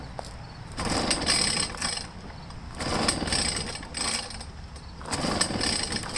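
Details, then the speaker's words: Echo PB500H blower no-start, pull-started at full throttle; bursts about every two seconds, sputtering as if it wants to catch but never firing; suspected to be flooded. "know it sounds a little bit like it wants to do something but it's not quite doing anything"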